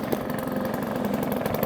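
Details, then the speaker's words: 1954 Atco kick-start mower with a Villiers Midget two-stroke, just started on half choke after sitting seven or eight months, running normally: crisp, rapid two-stroke popping at a steady, even pace with no stumbles or misses. "when you can listen to that absolutely fantastic little two-stroke engine on this lawnmower absolutely baffles me"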